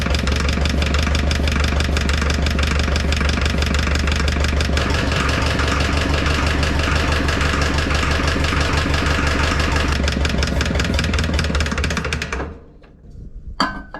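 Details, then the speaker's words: 1960 John Deere 1010 diesel running on starting fluid after the injection pump was flipped back, with fresh diesel and injectors squirting: rough, lumpy, misfiring chugging that dies out. Owner suspects not enough compression. Low compression. "boy that thing sounds bad I know the injectors are squirting I think I just don't have enough compression"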